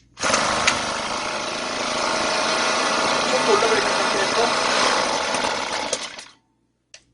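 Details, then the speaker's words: Chainsaw two-stroke engine: the choke lever was left up after starting, closing the air passage and over-richening the mixture, so it runs rough and weak for about six seconds, then dies abruptly. "Vì cuộn cảm không được hạ xuống, động cơ bắt đầu tắt mà không c"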